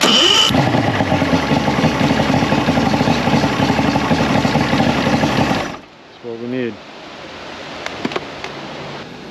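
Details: Mercury 225 hp six-cylinder outboard that quit on the water, good fuel and even compression, runs rough with a stumbling beat then dies; no spark traced to a failed stator, wires rubbed the flywheel, replaced with six-pin stator.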